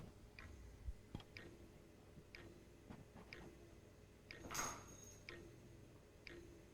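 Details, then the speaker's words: Dell Alienware X51 R2 that won't boot, no video, with hard drive and optical drive disconnected: sharp little ticks about once a second in an otherwise quiet case; the steady ticking appears to be the CPU fan. "So the hard drive is removed and I can still hear the ticking sound."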